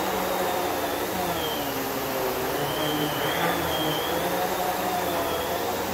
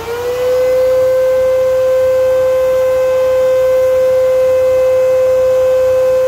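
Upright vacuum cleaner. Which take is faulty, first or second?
second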